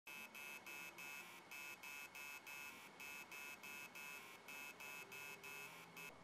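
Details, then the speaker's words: Hard drive powered on, rapid shrill buzzing beeps about three a second from the spindle motor; heads are stuck to the platters (stiction) and stop the platters from spinning up. "So, basically what happens inside of your drive is the heads are literally stuck to the flatters and they prevent them from spinning up when the power is applied."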